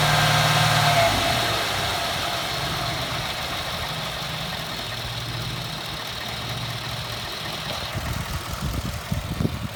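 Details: 2014 Ford F-150 4x4, hood open, phone set in engine bay, revving in place: harsh hissy scraping squeal holding while revved, fading as revs drop; first only when cold, now constant; undiagnosed.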